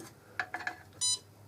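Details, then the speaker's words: Kiln controller keypad: pressing recall 8, enter, to select the O1 steel stress-relieving program; three short chirps then a longer higher confirmation beep, normal keypad feedback. "So I simply go to my kiln and I press recall 8, enter,"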